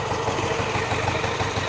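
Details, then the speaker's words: 1978 Yamaha GT80 two-stroke, just freed from a seized engine, kick-started with both sides warm: small engine settles to an even, steady idle with no stumbles or surging, sounding healthy; normal idle. "Oh, it's settling down. Sounds pretty good. Yep, they're both warm."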